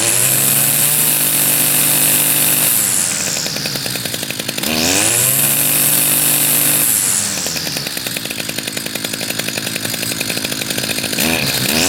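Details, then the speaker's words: Two-stroke machine, first spring start on choke with some fresh gas: buzzy revving rising and falling unevenly, labored and burbly at low speed; mix is smoky, oil-rich, owner plans adding regular gas. "yeah the mix is a little smoky i'm gonna add just a little bit of regular gas in there and that should cheer it up a little"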